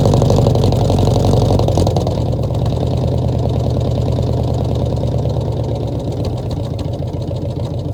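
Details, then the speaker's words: 1966 Ford F100 first start in 17 years, carb bottle-fed and spitting back, no coolant with freeze plugs out: low V8 rumble with an uneven, skipping beat as revs sag; it won't idle on its own. Engine misfire. "Now she's not gonna run on her own because I'm just bottle feeding her. But she almost tried to idle. She got a definite miss."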